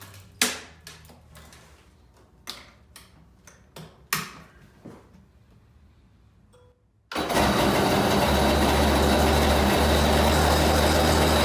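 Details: Kawasaki SC jet ski with a swapped-in 750SS small-pin two-stroke, started after the carb cover was taken off and the battery charged. After some clunks it catches and settles into a loud, steady, even run, sounding normal and healthy.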